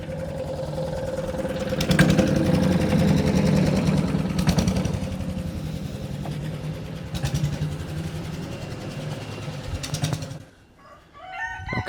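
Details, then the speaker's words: Wood chipper chipping branches after a broken ear was welded back on; steady engine beat as branches chew through in bursts, pulling down slightly and recovering cleanly. Normal running under load. "that's fixed. Did a good job shredding all that stuff up."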